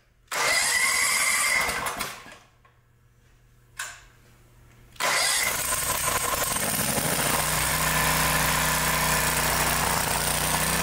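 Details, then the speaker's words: 2-cylinder engine after replacing both intake manifold gaskets: short crank, then a steady, even beat on both cylinders with no misses, running as it should. "all right repl those intake manifold gaskets and now it's running like it"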